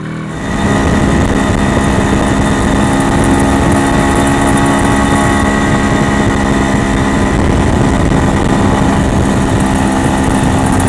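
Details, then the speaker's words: MZ ES 250/2 two-stroke with Bing 84 carburetor on factory jetting: crackling, pounding self-ignition from a dangerously lean mixture, risking major engine damage. "Do you hear that crackling, pounding sound? These are the self-ignitions due to too lean Mixture."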